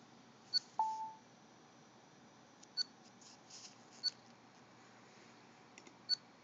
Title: Dell Precision M6400 Chirping Sound